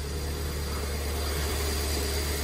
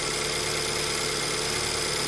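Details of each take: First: 2008 BMW E90 318, partly cooled after failing to start fully cold: rough, uneven idle with a stumbling beat and missing pulses; diagnostics showed misfire in several cylinders, traced to a faulty fuel injector that was replaced with a used one. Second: 2008 BMW E90 318 after replacing faulty fuel injector with a second-hand one, cold start with idle slightly high; even, steady idle with no stumble, miss or knock, misfire fixed.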